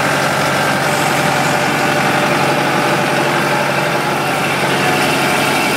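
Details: Kubota M100X tractor diesel at idle during a pre-trip check before a blizzard, Dec 30 2012: even, steady clatter with no misses, knocks or surges. The engine sounds good and healthy.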